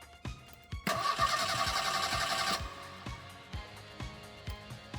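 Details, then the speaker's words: 41,000-mile 1986 Merkur XR4ti revived after sitting, with new Motorcraft starter solenoid and new starter; fuel pump fuse and relay pulled to prime oil. Even cranking at roughly 220 beats a minute, no catching or grinding; normal, smooth cranking. "all right so it cranks over it's got a nice new starter cellon it and a nice new starter so it sounded good"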